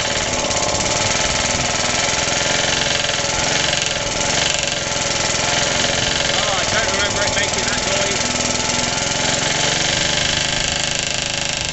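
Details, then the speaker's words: Suffolk small single-cylinder engine, first start after rebuild, cold and choked, rope-started with the starter bolt missing, idle turned up: runs fast with a hard, steady knock tied to engine speed. New since the rebuild, compression good, clutch or shrouding suspected. "it runs rest assur it never used to make that knocky noise so I don't know what the hell's going on it's definitely fully tight never used to make that noise"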